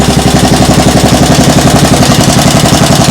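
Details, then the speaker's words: Single-cylinder small engine idling with the throttle handle all the way down; the owner suspects an exhaust leak. Even putter of about 220 pulses a minute, steady and quiet with no misses or knocks, "like a sewing machine". Normal idle. "WOW! LISTEN. IT RUNS LIKE A SEWING MACHINE. THIS IS IDLE. The throttle handle is all the way down."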